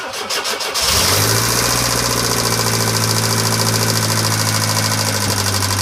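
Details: 1996 Pontiac Sunfire 2.4L with a restored head and valves and new lifters, noise still unsolved after 3 months: cranks and catches, then idles with a fast, even ticking about three per second; cause unclear.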